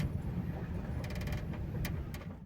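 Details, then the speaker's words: Chery Arrizo 8 driving: short creaking ticks over road rumble from the trunk, traced to an unwelded corner of a trunk panel flexing near a hole; body panel creak. "Едем, мы едем. Сейчас, сейчас скрип будет, я думаю. Скрип слышно"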